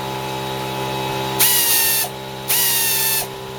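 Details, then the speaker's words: Secondhand 3/8-inch drive pneumatic ratchet with 3/8 socket, running on a small Stanley compressor: two short bursts of high, even whirring with smooth air hiss, turning both directions with no air leaks; normal air ratchet operation. "look at that going to hold it certainly turns the right that way turn it way I can't stop it no air leaks how about that"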